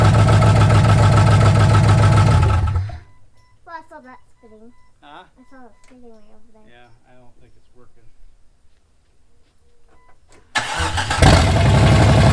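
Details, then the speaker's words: Jeep 4.0 inline-six after cheap overhaul and reinstall, distributor found one tooth off and reset to number one at top dead center: steady low rumble, drops away, then fires back up and settles into even idle; engine starts and runs. "so got everything put back together everything lined up let's see if it starts now"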